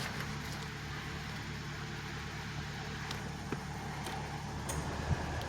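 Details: 2011 Chevy Malibu fixed after multiple-misfire codes and stuck-open fuel injectors on cylinders 2 and 4, with new throttle body, intake manifold, sensors and battery: a quiet, even low idle hum with no stumbles or skips. Smooth and healthy.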